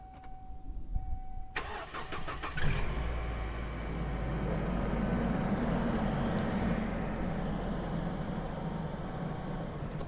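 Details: Car parked overnight, unwarmed, warm weather, after using additives to cure hydraulic lifter tapping; starter cranks briefly, engine catches and settles to an even cold idle with no top-end tapping: normal cold start idle, lifters quiet.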